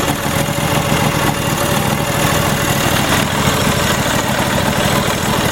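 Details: Troy-Bilt GTX2654 mower, 26 hp Briggs & Stratton V-twin, 542 hours, previously a no-start from a blown fuse, with Marvel Mystery Oil added: a loud, steady low rumble with an even beat and no misses. The engine runs normally.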